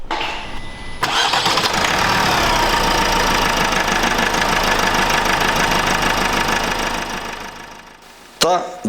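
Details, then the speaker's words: Opel B16DTH 1.6 diesel (2015-2021) after timing chain replacement, previously rattling chain: catches quickly and settles into steady, even idle with no chain rattle or knock. "Après cela, nous allons démarrer le moteur. et écoutons le son après le changement."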